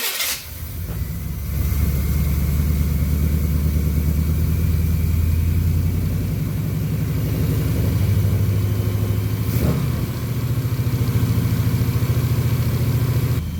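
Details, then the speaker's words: 1990 or 1991 Chevy C1500 carbureted V8 at raised idle, vacuum gauge on manifold vacuum with a suspect line taped off; deep, even burble, no misses or knocks, perfect vacuum reading and running decent, normal idle. "See right there, we're at perfect vacuum, right there. exactly where you want it. And it seems like it's running decent too. Running damn decent."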